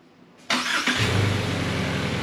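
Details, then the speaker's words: 2018 Subaru Crosstrek junkyard replacement engine, after ECU codes cleared and electronic throttle relearn: starter catches, fires within half a second, settles into a smooth, even idle; no trouble codes afterward. "oh yeah she idles like a champ now so much"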